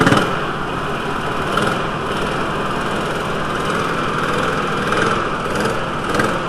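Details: VW T4 2.5L with intermittent rough running within a specific cold-engine temperature range, loss of power and rich smell: uneven lumpy idle with a stumble; cylinder 1 intake valve broken spring holding the valve open.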